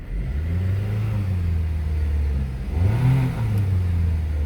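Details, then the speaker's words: 2016 Dodge Dart revived after hydrolock, new starter fitted: clean idle, then a smooth rev rising and falling evenly with no ticking or knocking; earlier smoke has cleared; normal revving. "So, but here she is running. As you can see, you can rev it up and everything. No unusual noises or anything. No ticking, no knocking, no nothing."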